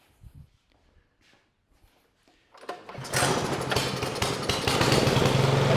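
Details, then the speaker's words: Ariens snowblower with Briggs & Stratton 15C134 engine, after carburetor replacement, started with choke on and unprimed: small single catches and settles into a quick, even, steady putter; normal start and run. "runs great right now let's go ahead and fire it up one more"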